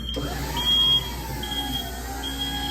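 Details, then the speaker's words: Skyjack 4632 scissor lift elevated about 9 ft, driving slowly after repairing a no-drive-in-air fault (worn bearing misplacing a sensor): high steady beep in short on-off pulses over quiet motor hum; normal travel alarm. "so as you remember it did not drive in the air we are elevated probably about 9 ft and we are driving slow in the [Music] air"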